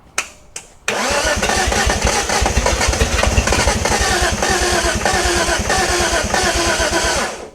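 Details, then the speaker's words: 1971 Datsun 240Z, first start after restoration: catches after a short crank, then runs loud and ragged with uneven beats; rough misfiring, smoke and burning smell. Owner suspects ignition timing off or spark plug wires in the wrong firing order. "Okay. So, it sounds like maybe out of time. Some something is uh probably the I smell some fire though happening."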